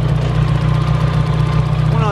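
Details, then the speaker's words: Corsa petrol engine at idle on its first long run after work. The camera picks up a lot of noise, but it is the cylinder 1 hydraulic lifters: a faint quick tick over a steady low rumble. It may clear with use. "la cámara se escucha mucho ruido pero es los botadores del cilindro 1"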